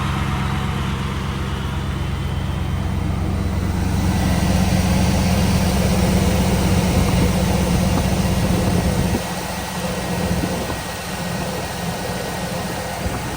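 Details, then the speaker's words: 2002 Cadillac Escalade after starter replacement and oil change: engine catches and settles into a steady, even low idle with no starter whine; the starter was the culprit. "yes sir yes sir yes sir looks like the starter was the culprit"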